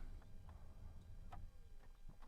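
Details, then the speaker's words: 2004 Chevrolet Silverado 1500 blower after replacing the motor and resistor, which had worked only intermittently with wrong speeds: quiet, even low hum with only faint ticks. The speeds now seem to work correctly. "Oh boy, that sounds so much better. It's quieter and it seems like the speeds are working correctly."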